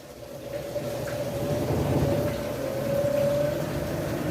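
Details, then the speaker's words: Washing machine after repair of a loud spin-cycle noise like an airplane taking off: smooth, even spin with a steady mid-pitched hum and soft low rumble, no roar or grinding; quiet, normal spin. "como essa máquina tá silenciosa pessoal é a diferença a diferença do barulho Olha o silêncio dessa máquina e trabalhando"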